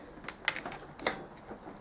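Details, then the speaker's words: Pit bike throttle with the worn plastic piece removed from the throttle tube, cable alone: sharp little clicks as the throttle is released show the carb slide snapping shut freely, a normal quick return; with the plastic piece it returned slowly. "you can hear the car returning."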